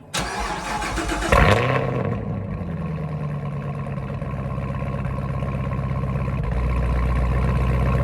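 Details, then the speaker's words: Cold start of a 6th Gen Camaro ZL1 supercharged V8 after fitting a Roto-fab Big Gulp cold air intake and ZR1 LT5 throttle body, no tune, phone resting on a step: high cold idle with a steady faint whine over an even exhaust pulse; healthy. "You can definitely hear more of a whine, and then I will take you guys out and we'll really be able to listen to it."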